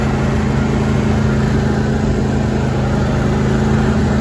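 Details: John Deere D130 hydrostatic lawn tractor, 22 hp twin-cylinder, 271 hours, with the mower deck engaged. Steady, even engine drone with a low hum and blade whir, no knocks or surging; healthy under deck load.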